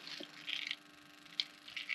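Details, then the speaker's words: 1988 Saleen Foxbody Mustang, fresh motor with Trick Flow 170 heads, Kenne Bell supercharger and Megasquirt; engine off, injector 1 fired in Megasquirt test mode gives sharp crisp clicks in short bursts, showing the injector works. "clicking here. All right, we can even unplug it, validate that that's the one that's clicking."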